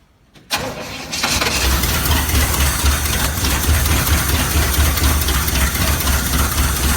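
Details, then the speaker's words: 1969 Chevy C/20 with 327 V8, running after 40 years, muffler removed: brief crank, catches within a second, settles into steady even idle with a deep uniform exhaust beat and no misses; fuel pump not working. "yeah awesome well it runs and quite well in my dad oh that's a relief"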